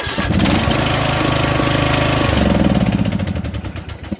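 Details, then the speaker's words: Troy-Bilt Bronco riding mower, foot on brake, hesitating at start: engine catches, then uneven slowing pulses as it stalls and bounces backward against compression before spinning past and starting; cause unconfirmed. "See how it stalls? It stopped and bounced backward. And it did it again. And now it stopped. And then it pushes past the compression stroke and it'll spin and start."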